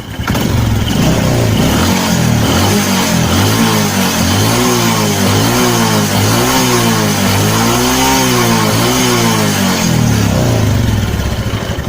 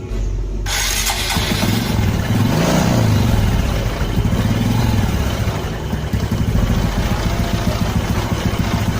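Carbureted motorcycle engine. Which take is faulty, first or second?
second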